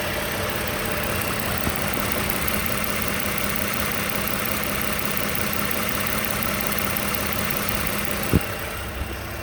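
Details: 2015 Toyota Sienna SE, 71k miles, at idle: steady dry diesel-like clatter, no speed change; owner asks what the rattle is, cause unknown.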